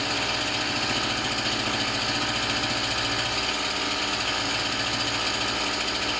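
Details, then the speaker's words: Tanaka THT 210B hedge cutter two-stroke after a carburettor strip and clean, diaphragms checked; it was slow to start on choke. Now a fast, busy buzz at steady speed with no misses, surging or hunting; normal running. "So it's running, it's all good. It sounds like it's running fine as well. I think it just took a while to get it to start on the choke, to be honest."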